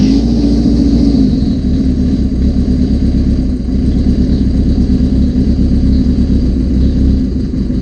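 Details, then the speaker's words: 1981 Suzuki GS650GL during rebuild with new battery, plugs, oil, filter and pod filters: steady fast rumble on choke, even firing, no knocks, misses or rattles; normal idle, small carb fuel leak suspected. "Not bad. It runs. Hell yeah. Hell yeah. So new battery, all that stuff. It was running."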